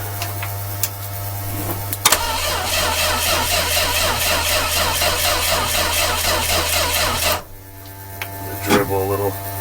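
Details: 1966 Dodge A100 van with a 225 slant six, cold start after a long hiatus, carburetor primed directly by the fuel system and 12 V at the coil: steady cranking about two beats a second that never fires.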